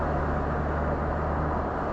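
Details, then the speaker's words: Land Rover Discovery 2 TD5 diesel driving after turbo wastegate replacement that cured power loss at 3,000 rpm uphill, no catalytic converter, single rear silencer: steady, even, deep diesel drone, no whistle or knock; normal. "and as you can hear it sounds nice cuz there's no cat on this there isn't it's just one single back box and it sounds perfect it curs like a kitten"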